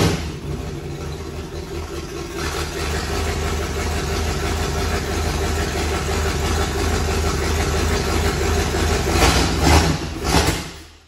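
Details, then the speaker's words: Unknown V8 in a project burnout car, first start, in the rain: it settles into a steady, even lope with a deep exhaust note, no knocks and little smoke; normal idle. "it's raining that sounds healthy here it sounds really good and it didn't even really smoke cool"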